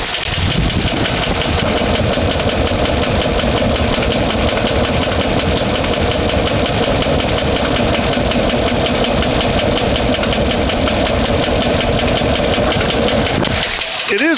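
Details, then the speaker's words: One-ton truck engine after a cleaning attempt: a loud rough idle with an uneven knock about three per second and a stumbling miss. The owner suspects he disturbed the ignition system; the knock cause is unconfirmed. "missing so I think I've messed something up in the ignition system but that's fine cuz if the banging doesn't go away you know it's not really going to matter if it's missing or not"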